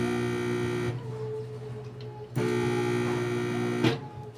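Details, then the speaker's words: Microwave oven that powers on but won't heat: loud, harsh humming buzz as soon as it's plugged in, caused by a shorted magnetron filament. "So napapansin niyo ayan pagsaksak natin umuugong. Maingay."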